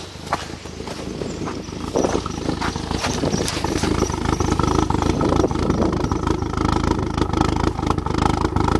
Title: Erratic idle and misfire golf gti 1.8t